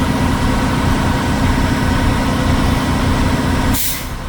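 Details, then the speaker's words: Class 1 truck pre-trip air brake check at idle: steady diesel idle rumble, then a sharp air hiss as the governor unloads near 135 PSI (spec 105-135 PSI); normal governor cut-out. "There's my governor unloading."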